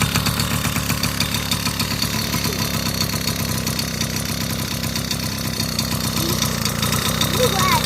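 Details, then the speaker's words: 1980 Honda Express scooter: the small two-stroke starts right up and buzzes at a steady idle with its usual light rattle, no stalling or hunting; runs healthy. "look at it it's super clean it runs it starts right up the lights work"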